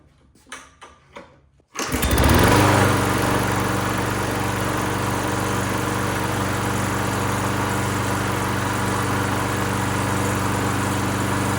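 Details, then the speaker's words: Free lawn mower after cleanup and electrical fixes, start with fuel confirmed; after a few handling knocks it catches and settles into a steady, even idle with no misses; runs good. "All right, well, there you go. Runs good."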